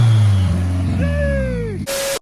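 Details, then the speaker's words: 1995 Honda Civic coupe with a newly turbocharged B20 engine, on its first boosted start-up and warming up: engine rumble with a clear turbo whistle rising and falling with revs; it spools normally with no oil or vacuum leaks. "if you guys can hear the turbo spooling there's absolutely no leaks no oil leaks the vacuum lines are all done the turbo is working the turbo is spooling"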